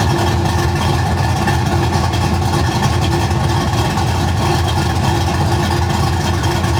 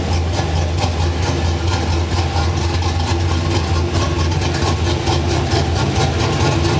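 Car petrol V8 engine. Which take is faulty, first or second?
first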